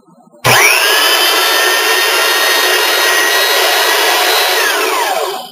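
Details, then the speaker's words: Rebuilt sander with new brushes, first run after reassembly: clean, steady high whine that holds even and winds down smoothly, no growling, clunking or scraping; motor healthy. "good it comes in a nice nice mid stop no clunking the scraping"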